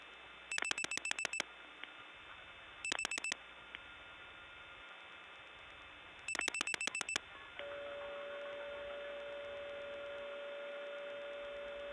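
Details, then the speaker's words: 1979 Gainesville GA step tandem, dialing 747 toward suspected tributary office Suches: quick touch-tone digits, pause, then steady mid-pitched howl; normal howl of N1 carrier, a different trunk on the same carrier system. "There's that howl again, a different trunk, but the same carrier system."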